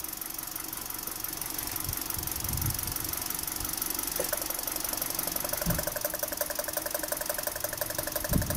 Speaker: well let's see weapons are we introduced a misfire let's see what happens on this on this way for move a introduce a misfire